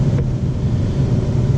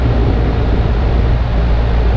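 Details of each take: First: Ten-year-old central AC compressor running after being freed with a rubber mallet. Steady, even low hum with no clatter or grinding, 9 amps, 19-degree split, low and head pressures on target; healthy. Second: Ten-year-old central AC unit (possibly Lennox) with a compressor that won't start. Deep, steady drone like straining against a load, never spinning up; tech suspects the compressor is badly locked up and checks the windings.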